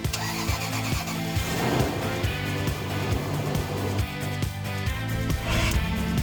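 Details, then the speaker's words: Rough cranking with sharp clicks and gear chatter about twice a second on a Jeep Wrangler's first start after sitting about three months. Starter grinding on startup; failing starter suspected, possibly a loose connection, and the starter was replaced. "That doesn't sound good. See what happens when you leave your vehicles for a few months to go have fun. Yeah, so the starter clearly not happy at all."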